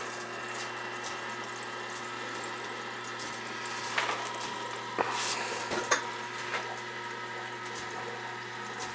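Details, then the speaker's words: New oil boiler installation replacing a 35-year-old unit: hissing water rush with sputtering gurgles as air pockets push through the purge hose; a kinked hose was also found. "See the hose? That's air."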